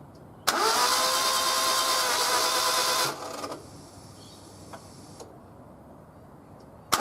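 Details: Car engine that suddenly lost power and won't start: starter spins fast and unusually even for about two and a half seconds, no labored beats or firing, like no compression; cause suspected, not confirmed.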